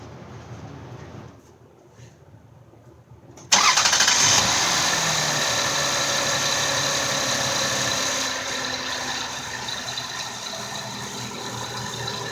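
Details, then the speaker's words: 2000 Lexus RX300 with loud frequency-type whine: with the belt removed the engine cranks and idles evenly with no whine, confirming the alternator, which was extremely hot with suspected burned windings, as the source. "the noise stopped and the alternator was just freakin steaming hot"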